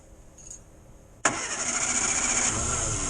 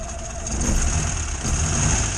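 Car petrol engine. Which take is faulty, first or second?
second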